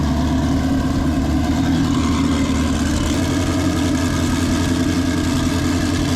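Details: Chevy V8-swapped Porsche 935 with 180° crossover headers (giving a flat-six-like firing order), idling in neutral before clutch replacement: dense, even burble with steady low drone, no knocks or misses; normal healthy idle.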